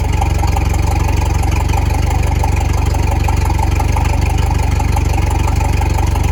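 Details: Outboard on a Starcraft boat, first start since last fall after winterizing: steady, even low-pitched putter at idle with no knocks or misses; runs smoothly.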